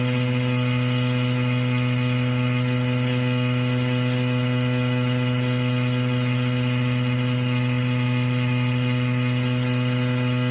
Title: Anyone know why the shower is making that noise???? #help #plumber #plumbing #shower #water #home